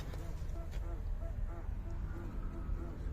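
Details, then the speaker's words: Mercedes W203 rear: short rubbery squeaks repeating as the body rocks, from the sway bar bushing rubber despite recently fitted greased bushings; grease is to be injected between bar and bushing with a syringe. "Evet kronik yağlı burç gıcırtısı geliyor araçtan yağlı burçlar yeni koymuştum biliyorsunuz"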